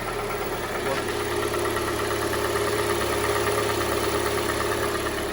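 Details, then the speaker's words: 2016 Hyundai Tucson G4NA, 120,000–128,000 km, runs on gas, after a frosty cold start, heard outside at idle: light, loosely regular knock about three a second, worse under load; early-stage piston scuffing, engine to be torn down. "как обычно это у нас задира поршневой группы так давайте выйдем послушаем снаружи что это дело как это звучит наружу это гораздо хуже слышал"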